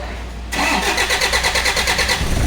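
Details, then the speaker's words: Diesel engine with injector and pump problems, wiring checked, started after fitting a newly arrived ECU box: catches almost at once and settles into a steady, even clatter; clean, normal start. "โอติดด้วยนะครับติดนะนะครับเดี๋ยวรอสักแป๊บอ้าติดแล้วนะปกตินะครับ"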